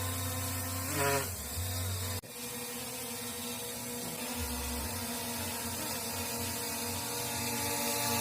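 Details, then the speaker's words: SJRC F11S drone, second unit, flying fast: buzzy high whine wavering and climbing with speed, rough rattly edges; motors sound strange, cause unknown. "Cepat kali drone ya. Kok gitu suaranya?"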